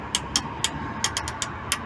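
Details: VW Transporter T3 engine after two weeks standing: sharp, light, even ticks about four a second over a steady run, from worn hydraulic lifters rather than valves.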